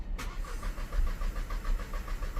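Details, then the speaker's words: VW Golf 1.0 petrol, engine code DLAA, with low fuel pressure faults stored; starter cranks at an even six pulses a second without firing, crank no-start because the low-pressure fuel supply to the high-pressure pump delivers no fuel. "Can hear it there. So, crank non-start confirmed."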